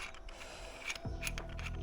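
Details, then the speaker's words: Pressfit bottom bracket bearing removed from a carbon AliExpress road bike frame and turned by hand: gritty uneven crunching with clicks. This is the same crunch heard when pedalling. "А це воно отак от хрустить а тут вийшла каретка оце воно і хрустить коли ми крутимо педалі то що ви чули на одному з попередніх відео"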